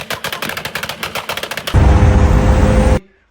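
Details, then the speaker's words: Car with newly installed race coil packs at idle: sharp rapid puffing from an exhaust leak, owner says exhaust gaskets likely blown out during hard driving. "Y'all can hear the exhaust sounds kind of funny over here, and then it sounds really funny in this area. Yeah, that's because we have an exhaust leak."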